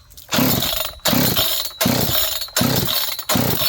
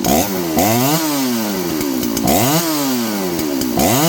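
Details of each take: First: John Deere CS81 chainsaw leaking excess gas, after starting fluid spray, choke off: five sharp rope pulls about a second apart, each a short rasping whirr, never catching; owners suspect it is still flooded. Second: John Deere CS81 chainsaw: crisp two-stroke snarl revving up and dropping back cleanly about every two seconds, no stumble or bog; running healthy.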